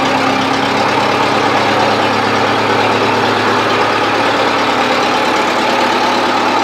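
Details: 1970s Bobcat 610 skid steer, cold start on choke after a first crank that sounded bad: steady, even engine beat with no knocks or misses. Runs fine. Owner plans to fix a broken seal.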